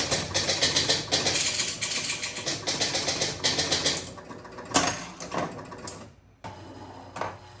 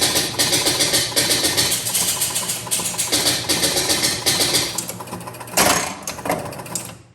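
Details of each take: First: 1977 Gottlieb Jungle Queen electromechanical pinball during test play: rapid irregular relay clicking, then intermittent single clacks; relay chattering on and off from dirty contacts, every relay contact to be cleaned. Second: 1977 Gottlieb Jungle Queen electromechanical pinball, credit switch pressed on coin door: fast even run of relay clicks and reel clatter about five seconds then winds down; normal full game reset, drop targets reset, ball served.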